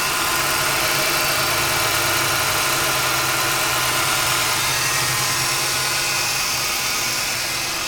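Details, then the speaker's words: 1998 Ford Taurus, cylinder 1 misfire code, idling as it warms with bank 1 fuel trim 8–14%: a recurring stumble of about three a second in the exhaust pulse; spark is good, injector or lifter suspected. "I think you can hear something from the exhaust it's not shaking too bad yet but you could sort of you can sort of hear that and that's the miss I think"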